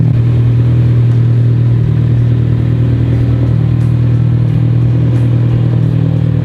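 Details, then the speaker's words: AWD Civic Type R on a stock turbo motor, after sitting about a year and having the fuel pump hanger worked on: a strong, even, quiet low rumble with no misses or knocks. The owner believes the fuel issue is fixed. "It is so quiet compared to the Evo and the M especially."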